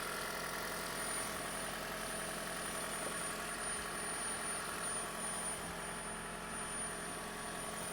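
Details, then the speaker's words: 2011 Toyota Prius with a stored cylinder 1 misfire code and a strong raw-fuel smell through the vents: idle has an uneven, loping beat about every third of a second under a steady hum, a rough idle. "Client states it's running rough and smelling like fuel."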